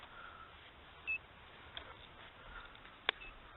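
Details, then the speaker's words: Inverter running a TV from an Optima Blue Top battery on a 100 W solar panel gives one short high beep and a click as voltage dips under about 11.1 V; low-voltage alarm. "if I turn my TV on again it'll it'll dip under eleven C 11.1 so there you go you can hear it beeping now"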